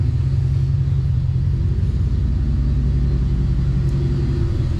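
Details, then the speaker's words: 2008 truck V8 with hacked-off exhaust idling with a deep, loud rumble and uneven, stumbling thud; misfire confirmed, owner mentioned cylinder 4, ignition system under diagnosis. "Can you hear the misfire? You hear it thutting? Let me shut those. The lights off. Diffy headlights. I don't know if you guys can hear it, but I sure can. Does have a misfire. Confirmed."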